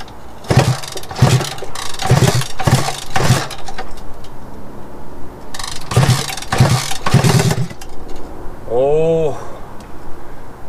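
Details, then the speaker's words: Honda Dream motorcycle (1963/1965) under restoration, compression about 130 and 100 psi across the two cylinders: starter churns the engine in short bursts, even with a jumper box on the starter motor, but it never fires; cranks without starting. "despite my best efforts and even trying to hook up a jumper box to the starter motor I could not get this engine"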